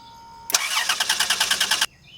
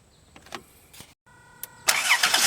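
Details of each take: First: 2005 Dodge Grand Caravan no-start: starter spins engine briskly and evenly about 1.5 seconds, never catching; crank no start, traced to a shorted EGR valve pulling down the 5 volt reference. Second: 2005 Dodge Grand Caravan after unplugging the shorted EGR valve, restoring the 5 volt reference: starter whirs briefly, engine catches at once and settles into steady even idle; normal start, EGR valve to be replaced.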